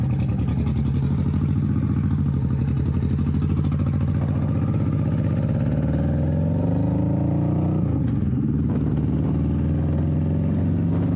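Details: 21-year-old Honda Shadow V-twin with a new Vance & Hines exhaust and repacked fiberglass baffle, on its first test run: a deep, smooth rumble rising and falling with throttle, less raspy with no rattle. Normal exhaust note.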